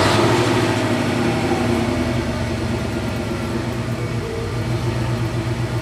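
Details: Car stereo at engine idle, no radio playing: constant electrical hum/whine through speakers and subwoofer, rising and falling with rpm; ground loop alternator whine, fixed by grounding stereo directly to amplifier.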